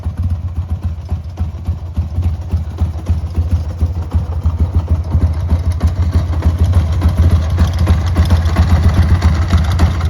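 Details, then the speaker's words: 1995 Harley-Davidson Sportster 1200 XL, about 24,000–26,000 miles, jump-started with no battery: uneven, loping idle with the beats bunching and stumbling, lumpy and spluttering; needs a carb clean and service, cause not confirmed. "Heat It's a bit lumpy. Needs a carb clean and bit of a service."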